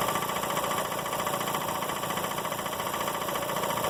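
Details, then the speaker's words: Emglo K15A-8P air compressor in constant-run mode at about 70 psi: a steady, even buzzing hum with a smooth quick pulse and no knocks. The pilot valve unloads the head, so it is running normally, unloaded. "I'm going to turn the switch on it will immediately start and you will hear the hear and see the the compressor the kick out and the motor continuously run"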